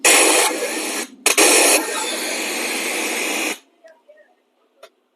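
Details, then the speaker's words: Maxon 4.1 home theater after cleaning the board, tested in FM mode: steady hiss from a previously dead speaker channel, then cuts off clean; channel now passing sound. "तो दोस्तों आप देख पा रहे होंगे इसमें भी आवाज आने लगी है।"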